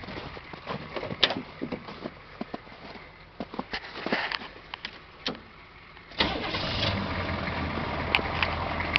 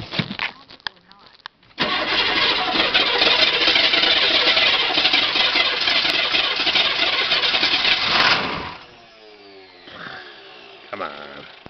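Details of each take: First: 2005 1010 in the snowy north, already warmed up: a short crank, then it catches at once and settles into a steady, even idle with no misses or knocks; normal warm start and idle. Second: 2005 1010 with a good battery and a starter that sounds good: it churns steadily for about six seconds at roughly four turns a second before the engine finally catches; hard starting with prolonged cranking.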